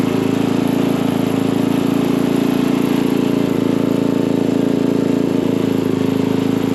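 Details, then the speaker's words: Craftsman dual-tine tiller, 9 ft-lb LCT single-cylinder engine, after repairing mouse-chewed ignition wires causing no-start, spark plug refitted, air filter off: steady even putter at constant speed, no stumbles or misfires; runs clean. "well now that this thing's running good let's get the air filter back on it and wrap this video up"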